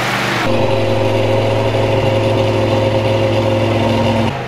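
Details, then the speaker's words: Newly installed V8 in a 1967 Dodge Coronet, cam broken in for 20 minutes at 2000–3000 rpm, header gasket burnt; steady even rumble at held fast idle, no knocks or ticks; engine sounds healthy. "but motor sounds good sounds healthy we're gonna proceed on and keep putting this thing together for you guys and it's gonna be a fun ride thanks for watching"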